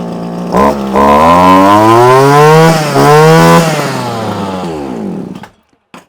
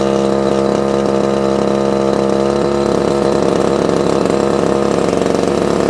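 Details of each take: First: Probably early-1980s Komatsu Zenoah Pro 26 two-stroke strimmer after new carb diaphragm and primer bulb, warmed up, idle raised, on mixed fuel; revs up, holds steady high note, eases down, slightly boggy with no carb adjustment, runs fine. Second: Probably early-1980s Komatsu Zenoah Pro 26 two-stroke strimmer, off choke after hard start; high buzz wavers and stumbles, lean unstable running; needs carb work, diaphragm suspected worn, no tuning screws visible.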